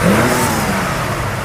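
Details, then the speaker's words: 1968 Ford Mustang 289 V8 revving: a crisp rev that climbs and falls back smoothly with no rattles, knock or exhaust leaks; a healthy engine. "Yeah, you know, it sounds good. Sounds like a 289."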